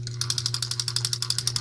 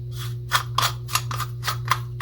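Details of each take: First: Compac Clipper spincast reel: crisp, even clicking about twelve times a second while cranking, with no grinding. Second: Late-1950s/early-1960s Western Auto Revelation V1550 spincast fishing reel, hand-cranked after service: fast ticking then harsh rasping gear grinding; gears poorly meshed, likely needing shim washers.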